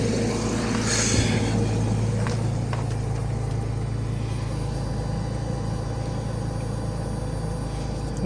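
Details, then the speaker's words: BMW E53 X5 after fuel pump replacement (old pump intermittently stopped, causing no-start/stalling), fuel pressure now normal: steady low hum, even smooth idle, no misses or stumbles; engine running normally again. "խնդիրը լուծվեց, խնդիրը բենզանասից էր, որը ժամանակ առ ժամանակ չէր պտտվում և բենզին չէր ապահովում իմ շարժիչին:"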